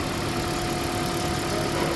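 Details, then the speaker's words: Toyota Prius with heat warning, coolant loss and misfire, after repair and codes cleared: steady, even engine hum with no stumble or skipped beats; normal idle, no misfire. "कोई misfire नहीं है"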